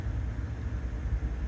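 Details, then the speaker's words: 2014 GMC Yukon 5.3 LS V8, earlier cylinder 7 misfire (P0307), after new spark plugs and wires: low, even idle with AC on for load, rpm holding steady with no stumble or surging; O2 sensors reading good. "Alright, so the engine RPM is no longer fluctuating."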